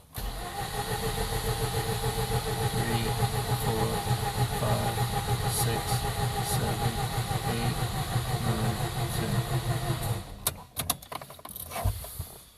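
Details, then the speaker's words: 2004 Mazda RX-8 rotary, flooded, during the deflood procedure: ten seconds of steady cranking with a rhythmic push of air on each compression, the engine trying to fire but not catching. "now as you can hear when I crank there's a displacement of air you can hear the pressure this car wants to start"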